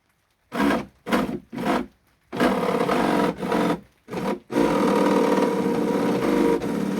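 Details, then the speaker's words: Custom 60-inch RC boat, 12S electric motor driving a 70mm 3D-printed jet drive, after a hardware-store coupling fix and greasing, first dry run: short throttle blips then smooth steady spin, no knocking or grinding; motor spins impeller easily and quiets right out. "has no trouble spinning the impeller. It's quieted right out."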